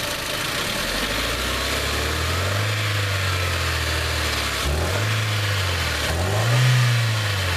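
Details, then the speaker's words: 2001 Hyundai Elantra with severe performance problems, about 50K miles since the earlier clip: revving rises and falls with a rough, stumbling, shaking beat; misfire traced to worn spark plugs. "see guys how it shakes watch yeah okay that's all I need to say so I need to go get some plugs"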